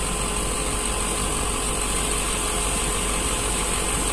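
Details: Old Panasonic 1.5 PK split AC compressor, R22, drawing 6.9 A against 5 A nameplate: steady low hum with coarse, rough snoring drone and fixed tones; early sign of compressor damage, lack of oil suspected.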